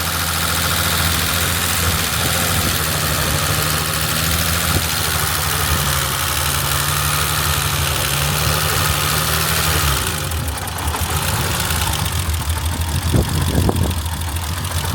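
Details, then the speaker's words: BMW E30 with a swapped-in engine, parked since 2012, that runs erratically and sometimes won't start. A lumpy, loping idle with dropped pulses: cylinders 1, 3 and 5 show nothing, so it runs on a few cylinders. Misfire, cause not yet confirmed. "Pretty much it runs on couple cylinders unless I do something with this, and then it'll run and start."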